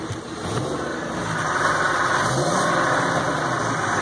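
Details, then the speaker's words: Ford F550 6.8 V10 after replacing one fouled spark plug, running briefly without coolant or serpentine belt: steady, even, smooth engine note with no misfire or knock; normal idle. "sounds good that's good enough for me a lot of heartache and a lot of worry for nothing for one foul plug um it's smooth as glass"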